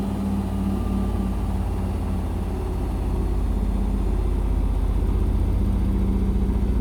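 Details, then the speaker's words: Indesit BWE101683 washing machine in high spin on a spin-and-drain after a 1000 rpm push-and-wash cycle: heavy pulsing low rumble, about four thumps a second, with the load rocking the machine like a train. The spin is unbalanced, which the owner attributes to the uneven floor underneath. "and it's shaking again the washing machine shaking and it sounds like a train again sounds like a train again"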